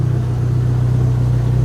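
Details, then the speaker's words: Dodge SRT-4 idling on its first start: a deep, even rumble with a steady firing beat and no misses or knocks, a little smoky. Idles smoothly; a bad injector had been the cause. "She sounds good. It's a little smoky in here, but she's actually running."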